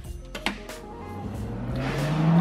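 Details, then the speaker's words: MIG welder just switched on, 75/25 argon-CO2 setup: low whirr climbing steadily in pitch as the fairly loud internal cooling fan spins up, smooth and even; normal cooling fan running. "you can hear it's obviously got a pretty loud cooling fan in it that keeps things cool as you're welding"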